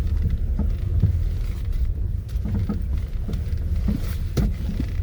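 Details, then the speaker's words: Front-end clunk from a poorly maintained rental vehicle, driven at about 10 km/h: dull, irregular knocks under the road rumble. A lower ball joint or tie rod end is suspected to be loose and near failing; not confirmed. "so we've got a lower upper lower ball joint or even worse tie rod end that's clunking around half ready to fall out of this thing"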